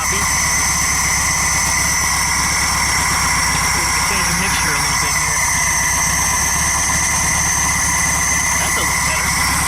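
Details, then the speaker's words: VW Super Beetle air-cooled engine on its first run after reassembly with an apparently new carburetor: steady even idle with a constant fan whine, no stumble or miss. Normal idle. "otherwise it sounds like it's running on all cylinders a choke kick in but it did kick off that's actually running pretty damn good"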